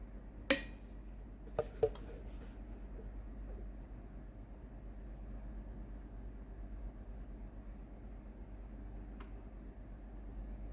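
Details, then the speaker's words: Steam iron station GC9315 during repair for no steam (boiler fault), powered on: a few light clicks, then a loud steady water-pump buzz and steam hiss as the boiler heats and the pump delivers water normally. "chaudière commence à chauffer, de la vapeur sort, il y a le bruit de la pompe à eau qui pompe l'eau. La pompe à eau peut pomper de l'eau."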